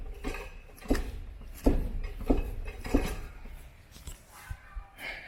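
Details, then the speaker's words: Ford Focus on a lift with the front wheel pressed up and released: four dry, low knocks about two-thirds of a second apart from the front suspension. Almost certainly a worn shock absorber no longer controlling spring movement. "o barulho esse barulho seco que deu aí com certeza com certeza não né quase certo que é o problema no amortecedor"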